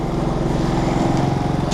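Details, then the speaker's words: Generac GP3300i inverter generator (model G0071532), in for not shutting off, restarted and running with voltage and frequency in spec: smooth, even drone with no misses or surging; normal running. "all right so we're fired up everything's good on there this thing's coming alive"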